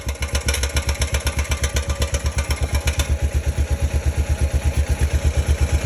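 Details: 2005 Honda Rincon 650 ATV after timing chain tensioner replacement: even low thumping idle, about three pulses a second, steady and smooth with no top-end ticking or the earlier startup rattle; healthy idle.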